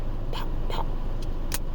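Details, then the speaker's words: 2021 Acura TLX while driving: four sharp irregular pops from stereo speakers over road rumble about every half second, intermittent and increasingly frequent; cause not yet known. "it been making this pop sound in the stereo I don't know if you can hear it hold on you hear that the pop pop"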